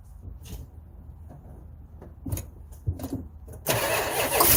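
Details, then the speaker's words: 1971 Chrysler 300 440 donor engine, new plugs and wires, about six volts at the coil via ballast resistor: uneven cranking with a few short barks and a brief loud catch that dies; cranks and fires but won't keep running. Owner suspects hydrolock, water in a cylinder, or fuel not reaching the carburetor float. "I think we know we're a runner yeah well darn it that was a lot of effort uh we might be hydrolocked so there might be some water in one of the Pistons"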